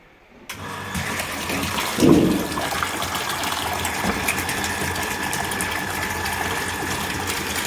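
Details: Orient self-priming water pump with aluminium winding and frame, full-load test recirculating water, about 6 ft suction and 20 ft delivery; short gush at start, then smooth steady hum with flowing water, no knocks or grinding; running normally.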